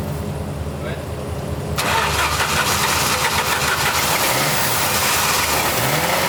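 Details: 1989 Jeep Wrangler YJ 4x4, manual, revived after 12–13 years sitting: catches and settles into a lumpy, uneven idle with stumbling pulse; seemingly missing on two cylinders, two spark plugs later found cracked through; fuel filter also suspected.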